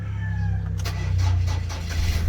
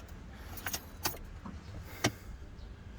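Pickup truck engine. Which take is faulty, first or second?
second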